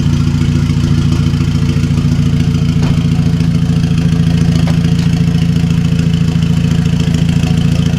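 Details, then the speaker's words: 2009 VW MKV GTI 2.0T TSI, fully straight-piped with a 3" Billy Boat downpipe and no muffler or resonator, with known unfixed misfires. Loud, lumpy idle with a fast metallic clatter about twice per second over the engine beat. Rattle at idle; cause suspected, not confirmed. "Yo, it sounds like something's rattling, though. Probably. Something's rattling there, dude."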